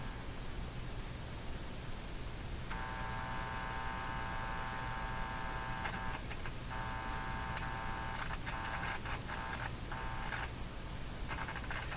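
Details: Hallicrafters TW2000 communications receiver under repair: low mains hum underneath with a raspy buzz coming and going in bursts as the circuit is touched; a check had no effect on the hum, source still unknown.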